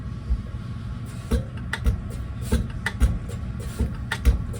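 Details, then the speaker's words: Mechanical injector no. 2 from a Deutz BF6L913C engine (Case 170B excavator) on the pop tester: dull separate pops, zero chatter, a stream instead of atomization. Opening pressure is a little low against the 180 bar spec; injector judged garbage. "close to the bottom of the spec on opening pressure that's injector number two zero chatter stream instead of atomization"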